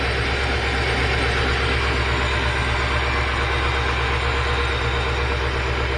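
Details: 1968 Rolls-Royce Silver Shadow convertible (Corniche) with replacement Chevy 350 V8 (previous crate engine had cracked block): steady, even deep idle rumble with no knocks or misses; engine healthy and settled.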